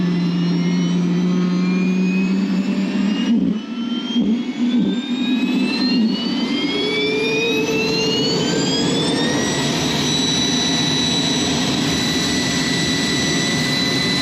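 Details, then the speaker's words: Aircraft jet engine number two being started after leak repairs: the whine climbs steadily as the turbine spools up, then settles into a smooth steady roar. A clean start to idle. "But, get to hear this thing come to life."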